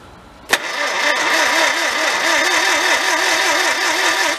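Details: 1955 Morris Oxford parked 33 years, starter churns about four turns a second for several seconds but never fires; spark possibly weak, owner suspects points; crank no start.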